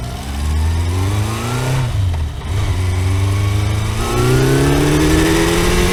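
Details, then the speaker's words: Kawasaki four-cylinder motorcycle after reassembly, revving up and settling rough and uneven: not firing on all four, cylinder 1 found cold and dead, owner suspects ignition leads disturbed when coils were removed; single-cylinder misfire. "lehet hogy gyújtó kábeleket ahogy megmozgattam na hát nem nem megy mind a négy henger"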